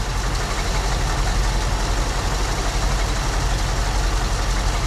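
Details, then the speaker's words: 1974 Ford Bronco V8, first start in over 16 years after fuel system work; little knock, oil pressure came right up; lumpy loping idle settling smoother, owner suspects one cylinder down, then thinks all 8 come in. "Had a little knock, but oil pressure came right up. Not running on all 8. It's idling."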